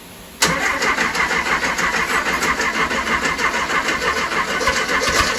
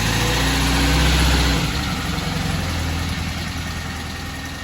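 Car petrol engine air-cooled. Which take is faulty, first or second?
first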